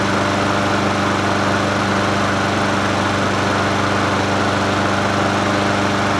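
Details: Troy-Bilt self-propelled mower with Honda GCV160 engine, free find, first start after adding fresh gas and opening fuel tap: single-cylinder runs at steady, even speed with smooth hum, no knocks or misses; normal running.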